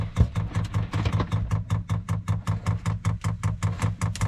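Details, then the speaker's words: Newly installed diesel heater on an Etap 30 sailboat, dosing pump priming: sharp, regular low thuds about two and a half per second, obnoxious banging. "the pumps for these things are fairly obnoxious in terms of they have this like banging kind of sound and yeah I've got to be honest despite knowing it was coming I still wasn't prepared for how obnoxious the pump is"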